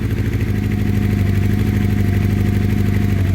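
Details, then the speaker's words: 1984 Honda CB700SC Nighthawk four-cylinder carbureted bike, in for a severe oil leak, warm day. It idles on full to partial choke with a slightly uneven, wavering beat. One side sounds off and only a couple of cylinders seem to fire. "all right full choke oh okay okay just leave it on Chu for a second this side sounds funny let's take some choke off here it's not cold outside by any means"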